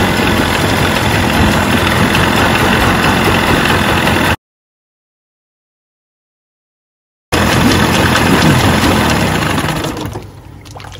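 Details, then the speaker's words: Mercury 25 hp two-stroke outboard after starter replacement, at the end of a 5-minute test run; steady, even burble with no misses or knocks, holding speed smoothly before shutdown. Normal idle. "All right, DIYers, 5 minutes, let the engine run, and that completes the project."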